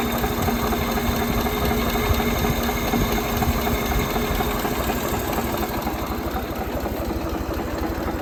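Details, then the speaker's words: Ford 2600 tractor idling after valve adjustment, previously one stuck valve freed; even steady idle, much quieter, only a faint light tapping under the valve cover, far less than before. "sounded much quieter so these are pretty noisy but you hear a little bit of tapping ignore ignore that whatever that noise is but you hear a little bit of tapping under the Val cover but not like it was before"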